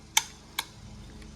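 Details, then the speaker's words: 1946 Gravely Model L magneto, unused about five years, turned by hand after freeing the impulse coupling with WD-40: three sharp metallic snaps half a second to a second apart; impulse coupling tripping normally, spark on every turn. "oh here's impulse ready yeah we gotta take off that impulse cover I think Square to some WD-40 and it seems to be working good now"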